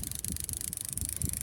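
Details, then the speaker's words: Shimano TR200G baitcasting reel, casting test with thick line: a quiet, fast, even ticking as the spool spins, with no grinding. The level-wind does not run fast, so it stays quiet. Normal smooth spin. "ดีใช้ได้เสียงเงียบครับเนี่ยหมุนน่ะได้ยินแต่เสียงแต๊กๆๆๆอ่ะตีออกยังเงียบเลยเพราะว่าพวกชิมาโนเนี่ยตัวเรียงสายเค้าเจะไม่วิ่งเร็วมากมันก็เลยทำให้เสียงเงียบครับ"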